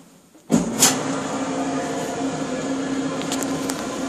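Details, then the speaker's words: Maytag Dependable Care Quiet Pack gas dryer after cleaning and reassembly, test run not yet vented at the back: after a click, a steady hum with faint drum tumble and light rattles settles in; runs smoothly. "and it's not hooked up to the back yet, but you can tell by the sound that it's running."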